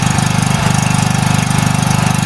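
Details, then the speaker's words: Small petrol generator converted to run on gas through a new carburetor with reducer, started on gas with the choke then fully opened: it runs normally with an even, steady thud of about 19 firing pulses a second. "воздушная заслонка полностью открыто Ну работает нормально"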